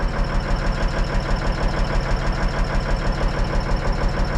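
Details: Cabover diesel (Kenny) just after setting the valves (injectors not set, special tool lacking): even tick about three times a second over a steady idle while warming up; abnormal ticking, cause unknown, owner wonders about compressor timing.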